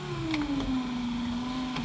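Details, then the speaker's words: 2004 VW T5 Combi passenger-side electric window, slow and noisy: labored motor whir sagging in pitch as the window creeps, with a clunk mid-travel; regulator cable straining and binding, dragging the motor down, after reassembly. "you can hear the cable struggling"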